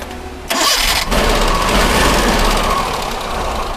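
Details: Suzuki Mehran 800cc petrol engine cranks, catches quickly and settles into a steady, even idle after a misfire repair.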